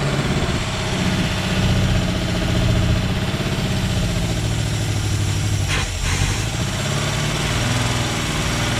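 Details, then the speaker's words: Chevy Vega wagon with a 350 V8 and 4-speed, year unknown, first start after about 15 years sitting in a field, no belts fitted: deep, steady idle with one brief dip; runs smoothly, better than expected. "anyway the uh vega ran actually not too bad surprising for saying for about 15 years or so"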